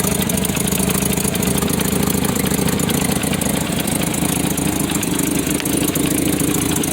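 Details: 1993 Nissan Pathfinder 4x4, 205k miles, 5-speed manual, with power loss and suspected failed injector: steady idle with faint quick puffing tick; owner attributes it to an exhaust manifold leak.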